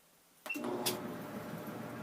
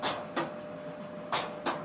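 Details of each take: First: Maytag Neptune dryer after repair of steady rhythmic noise: one click at switch-on, then even steady tumble hum with no ticking; drum runs normally. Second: Maytag Neptune dryer running: sharp rhythmic paired clicks about once a second over a quiet hum as the drum turns, something hitting at back and side; loose drum baffle screw striking cabinet.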